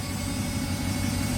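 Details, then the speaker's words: Recovered sunk Malibu Wakesetter boat engine first start: raised, lumpy, unsteady idle, running rough; 54 psi oil pressure, alternator charging; owners suspect intake gasket leak and probably a bad computer. "Why is it idling so high? Might be that intake gasket leak."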